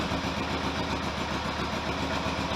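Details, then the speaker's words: Kawasaki GPX750R motorcycle being rebuilt, idling dead cold on about half choke at 800–900 rpm: smooth, even low-rev burble with no ticking or rattles; the only problem noted is a fuel leak. "Idling, dead cold, about half stroke. 800, 900 RPM."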